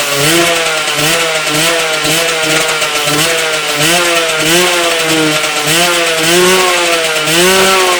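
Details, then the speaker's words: Yamaha 125cc engine in an old Tunturi moped frame, revving up and down in waves with a rough raspy edge; a grinding noise appears when the clutch is pulled, cause not yet checked. "easy as you could hear the grinding noise when I pulled the clutch I need to check it sometimes"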